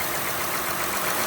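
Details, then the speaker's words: Honda Odyssey idling after alternator replacement with Denso remanufactured unit and serpentine belt reinstalled; even steady hiss and hum, no whine, squeal or rattle, charging at 14.2–14.36 V, good voltage; normal idle. "no noise, and also the voltage is showing 14.2, and you can see 14.36. So that's a good voltage."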